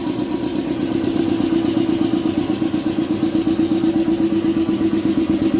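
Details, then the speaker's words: Shark 1 HP twin-cylinder belt-driven compressor (550 rpm, 83 L tank, 7 bar) filling its tank, which auto-stops around 90: steady, even chugging with a smooth rhythm and no knocks or rattles; normal running. "ya beginilah suaranya jadi dia kalau kita bekerja tidak terlalu terganggu suaranya karena ini lumayan halus ya dengan kapasitas satu HP"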